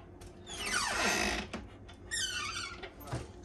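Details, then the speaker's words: Cabinet door hinge, before lubricating with WD-40: two loud squeaks as the door swings, then a soft bump as it closes, from a dry squeaky hinge. "you can hear that loud squeak from the cabinet"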